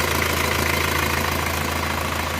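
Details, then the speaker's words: Isuzu Panther diesel just restarted after engine block machine-shop repair for loose cylinder liners, new seals; idle with a fast, light, even rattle riding on the firing beat. The source of the ticking is not yet found. "ada suara masih kericik-kericik ini nanti kita cari"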